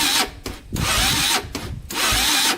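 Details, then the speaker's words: 2000 Honda 400EX quad locked up after a ride in fifth gear and won't restart. The starter whirs in strained bursts that cut out, as if the engine is binding. The owner suspects a crank bearing; others suggest a stretched or broken timing chain. "you can hear it you can hear it's getting stuck well so it's definitely getting stuck somewhere"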